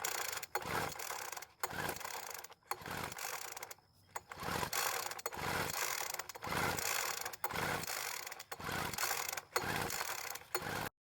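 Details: Poulan Pro leaf blower that ran one day and wouldn't start the next; it has fuel, spark and compression. During a spark-checker test the rope pulls about once a second, each a short dry whir with no firing: cranks but won't start.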